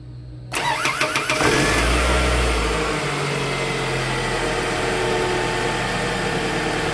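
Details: Toyota Camry after replacing the starter motor's damaged Bendix ring gear, which had caused a no-crank, no-start: the starter spins briskly for about a second, then the engine catches cleanly into a smooth, even idle. Normal start.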